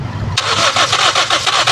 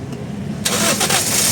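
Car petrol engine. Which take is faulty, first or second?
first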